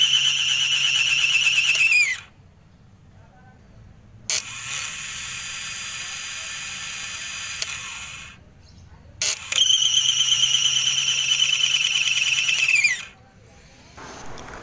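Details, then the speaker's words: Bajaj Pulsar starter motor noisy and labored: shrill whirring in labored bursts winding down between tries, engine not catching; dirty inside, sometimes only clicks or no response, like a weak battery. "Terdengar suara berisik dari dinamo dan terasa berat. Bagian dalamnya kotor , sehingga terasa berat."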